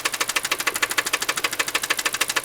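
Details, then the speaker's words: Car engine at idle recorded close to the engine, small oil leak present: sharp, even ticking about eleven knocks a second; a lot of knocking, origin unknown. "I did a few things to it. You hear that knocking? It's right in"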